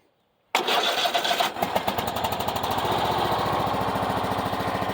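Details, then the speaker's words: Craftsman riding mower, 22 hours, started on choke with a battery borrowed from a Cub Cadet; catches and runs with quick even pulsing, then dies, and on retry runs on its own: engine starts on choke then stalls. "will oh wow oh man and it died try it again hold it runs it runs on its own"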